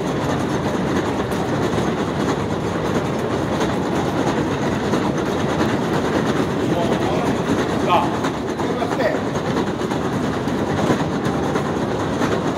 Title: New York City up-close - noisy escalator, 11/21/18